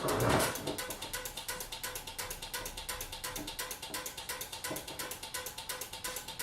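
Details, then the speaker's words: Relays switching 120 V incandescent party bulbs via a converted 12 V LED-strip receiver: crisp regular clicks about three per second, no buzz; normal relay switching. "Now that clicking's relays, so you can hear the relays click."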